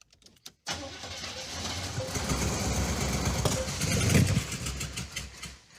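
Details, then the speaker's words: 1970 Dodge Super Bee with junkyard 440 V8 and Quadrajet carburetor: cranks, catches and roars briefly on a quart of poured-in gas, then fades and dies; fuel starvation, with no fuel reaching the carb. "Why doesn't it want to run? Well, it's pretty apparent it doesn't have fuel going to the carburetor."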